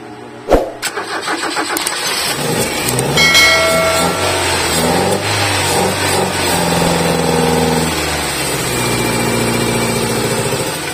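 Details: Ford Lynx 2000, manual transmission: engine cranks, catches, then settles into a lumpy, uneven idle with a stumbling beat; engine misfire from a fuel rail leak.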